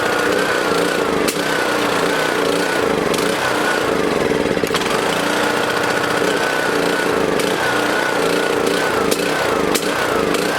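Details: Small lawn mower engine in a fuel additive test; loud running with sharp pops every second or two, popping, spitting and sputtering, harder to start; owner suspects small amounts of moisture in the fuel.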